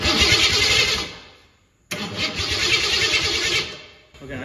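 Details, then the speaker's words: 1972 Ford Pinto with a 302 V8 and C4 transmission, not run for a while, cranking with the ignition off on a 12.4 V battery; the starter turns the engine over sluggishly and unevenly in bursts with no firing, cranking slower than it should. "That thing's kind of slow at first, isn't it? To have no ignition on? Yeah. It's kind of cranking slow there."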